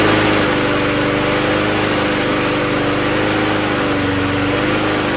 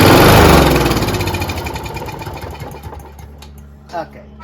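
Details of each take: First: Toro GTS mower with 6hp Briggs Quantum engine, after carb cleaning and fuel line replacement, needs priming to start: smooth, even buzz at steady speed with no surging or hunting. It runs properly on its own with strong self-propulsion. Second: Toro GTS snowblower, 6 HP Briggs Quantum, carburetor holes sprayed without removing bowl: quick burst of pops slows and fades within three seconds, won't keep running; dirty carburetor suspected, bowl to be removed.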